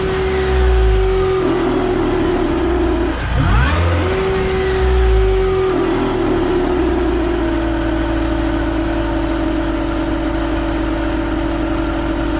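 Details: BMW Mini Cooper R53, supercharger refitted: engine revs up and settles with a steady whirring tone throughout, consistent at all revs for 12 months; cause was a collapsed oil feed tube from rocker cover to supercharger, found and fixed.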